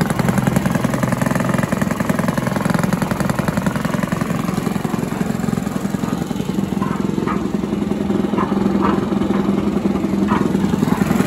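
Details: Villiers 10 petrol engine on an old Barford cement mixer, no choke, runs outdoors with a steady, even single-cylinder putter at constant speed, no knocks or misses; compression not excellent, fuel seems to run through even with tap off; normal running.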